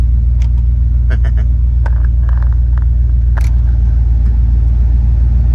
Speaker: But she is running extremely smooth.